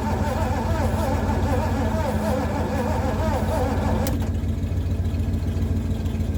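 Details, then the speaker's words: Abandoned Mercury, sat 13 years, cranking after starting fluid sprayed down the carb; steady rhythmic cranking about three and a half turns a second, no firing; crank no start, coil to be replaced next. "Okay, there's one last thing I'm gonna try, and that is replacing the coil. If that does it, great. If it doesn't, I think I'm gonna give up."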